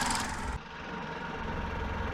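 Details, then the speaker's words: Toyota Avensis 1.8 VVT-i after repair for hunting idle, heard with bonnet closed: quiet, even low idle hum, steady rhythm, no hunting or surging, barely audible apart from maybe one pulley; normal idle. "tak chodzi aktualnie na zamkniętej masce praktycznie go nie słuchać jakaś tam roleczka może jedna"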